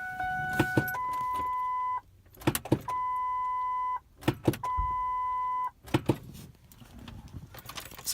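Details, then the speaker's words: 2002 Ford Expedition 2WD that won't start: sharp single clicks with each key turn between warning chimes, but the starter never spins. Owner suspects water in the starter relay after a snowstorm and plans to replace the relay. "it's making a clicking sound upon the switch of the ignition it's not passing to the starter"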